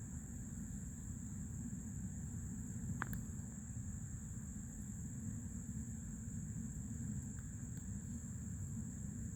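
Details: New Fluidmaster 400A toilet fill valve refilling the tank: thin, steady high-pitched whistle over a soft low rush of water. Noisy fill valve.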